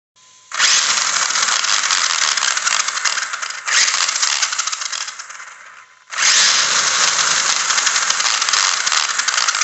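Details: Savage XS RC truck: the motor runs in bursts with a harsh, gritty grinding over its high electric whir. Owner is unsure where the grinding comes from or whether it is serious.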